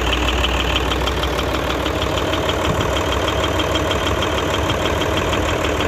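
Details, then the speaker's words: Hino J08C Euro six-cylinder truck diesel at idle: dull knock roughly every 0.6 seconds under the clatter, coming from the air compressor, which was found to have a seized piston and a badly worn, loose connecting rod. "दूसरा जो है जो बहुत ज्यादा आवाज़ थी वो जो है इसके कनेक्टिंग रोड की थी"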